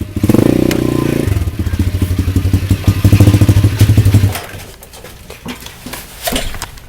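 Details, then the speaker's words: Pit bike after refuelling the empty tank and removing the packing from the exhaust: small single fires up and settles into a steady, even thump with no misses or popping, then fades; running fine. "so yeah she's running now"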